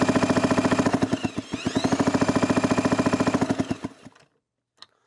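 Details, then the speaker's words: 1991 Kawasaki KX250 two-stroke, non-running parts bike with a messy, just-honed cylinder, kicked over: quick, even chuffing pulses for about four seconds, then winding down; compression sounds beefy, though maybe not enough to start. "Sounds beefy. Definitely sounds like it's got some compression."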